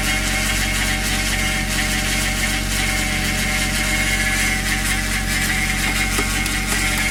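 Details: Cold Toyota 1JZ VVT-i petrol engine idling with a constant high whirring and faint whine, starting 10-15 s after start-up with oil pressure; new oil pump, new timing belt, 10W60 oil; noise disappears once warm; cause unknown.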